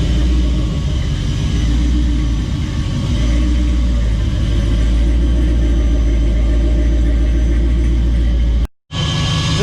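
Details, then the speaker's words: Restored V8 show truck: deep lumpy idle with a loud, steady rushing hiss riding over it, a jet-like intake sucking noise at idle. Cause not yet known; owner hopes the planned new intake will fix it. "the sucking sound from the intake when it's idling is tremendously loud sounds like a jet engine so we need to address that"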